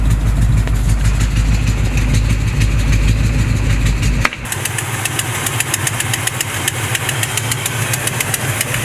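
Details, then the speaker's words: 1970 Chevrolet C20 V8 being tuned: slow, lumpy idle drops to about 500 rpm and nearly stalls, then holds steady at about 500 even with the idle raised as far as it will go; low idle speed. "it was dropping down to about 500 it's just up up it's steady just about 500"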